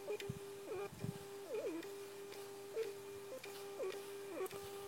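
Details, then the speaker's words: New Canon EF 40mm f/2.8 STM lens on a powered camera, manual focusing: repeated short whirring chirps of warbling pitch as the focus ring turns, plainly audible in a quiet room; normal STM focus motor noise, loud enough to spoil internal-mic video audio. "Neviem, prečo je to tak, keď pri automatickom to vydáva asi nejaký takýto zvuk. Takže je to v pohode na auto, ale na manuálnom to je na videu, proste by to bolo strašne počuť."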